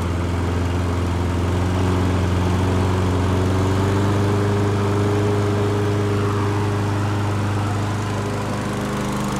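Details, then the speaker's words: Toro Recycler Personal Pace push mower that bogged down while cutting, after bending the governor tab from 2600 rpm up toward 3200–3300 rpm: a steady, even drone at full governed speed with no surging or bogging. "i believe that the customer's problem about it uh bogging down it was the fact that it was only running at 2600 rpm and i think this one's going to be good to go"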